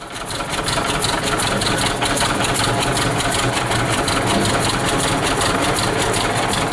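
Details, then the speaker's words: 1926 Hart-Parr 16-30 tractor first run in over a decade, after camshaft swap and retiming, started with a pony motor; slow steady two-cylinder thump about three beats a second, no misses. Normal running. "well there you have it after six months we finally were able to fire it up and take it for a short ride and first time starting this tractor in well over a decade"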